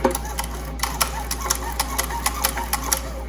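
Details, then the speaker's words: 1972 Evinrude Fisherman 6 hp outboard recoil starter with new rope, after PTFE dry lube spray: light even ratchet ticking, no scraping or grabbing; sounds much better, smooth operation. "What I like about this stuff is it gives you the dry film. Oh, that sounds so much better."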